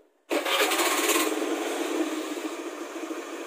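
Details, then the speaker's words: Honda automatic scooter after replacing worn starter motor carbon brushes; brisk rasping crank kicks in abruptly, then settles into an even running buzz, starter engaging cleanly: normal starter cranking and start after repair. "Satria sudah kembali normal ya Nah itu sedikit cara buat ganti cool stater"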